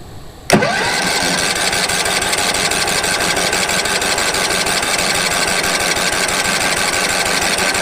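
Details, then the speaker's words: Late-1990s Wood-Mizer LT15 sawmill engine, sat for years, after oil change, new battery, air filter; cold start on choke: sharp clunk then even rapid cranking chatter, no firing; owner suspects fuel not yet reached engine: cranks but won't start. "well we know it turns over um probably just ain't got the fuel to it yet"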